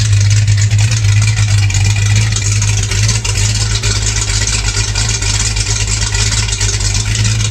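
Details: 1984 Mustang GT 5.0 L V8 after installing a new high-torque mini starter for heat-soak starting problems: steady, even low rumble with no misses, knocks or starter grind. Normal idle.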